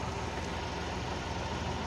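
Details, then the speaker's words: Multicab that stalled after water got into the distributor; after cleaning flux from the rotor cup, steady, even idle with smooth low rumble and no misfire or stumble. Engine running cleanly after the repair. "Pero ngayon, subukan nating i-start kung aandar na ba siya. Ayan, umandar na siya."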